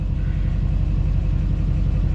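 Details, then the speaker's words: 2007 GMC Sierra LBZ Duramax diesel after a turbo replacement, idling a while with coolant at 131 degrees; deep, steady diesel rumble with an even beat and no whistle or surging, a smooth, healthy idle. "All right, truck's been sitting here idling for a little while."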